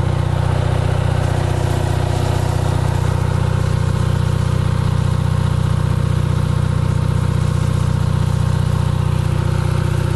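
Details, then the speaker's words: Onan 5 kW CCK-4R dual-fuel generator under about 1400 W heater load on the second leg, about 120 V, 61 Hz: deep even drone with no misses or knocks; runs smoothly. "Here we go. Full tilt, full fan. Should be about 1400 again. There it is, purring like a kitten."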